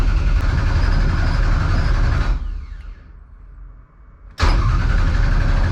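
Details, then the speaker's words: 1200hp Ford Taurus race car with 75 psi fuel pressure, cranked to build oil pressure before a possible start; crank trigger trouble earlier. Even starter chug of about four beats a second, a pause, then more cranking. Turns over cleanly without firing; oil pressure comes up. "There we go. We got oil pressure, fellas."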